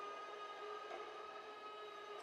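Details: CARF Rebel Hot RC jet, electric retract gear driven by its controller: thin, even motor whine at a steady pitch for about two seconds, then a clean wind-down; the gear cycles normally.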